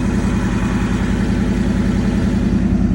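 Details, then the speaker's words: Project Krack Hawk engine, started after 13 years with bad fuel and 2 quarts fresh oil: fast, even idle that creeps up to about 1200 rpm on its own once warm; idle surge, cause unknown. "It's been doing this whenever it starts to get some temp in it. It starts to rev up. I thought it was done doing that. But yeah, it's like revving up like 1200 RPM."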